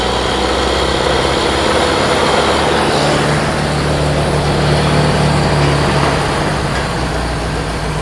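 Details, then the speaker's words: Rebuilt Model T speedster four-cylinder on first start after the radiator was fitted, timing checked and 4 quarts of oil added: steady low idle with a slightly uneven, lumpy beat, sounding like three cylinders; misfire, cause unclear. "Sounds like 3 cylinders to me. It's got something going on."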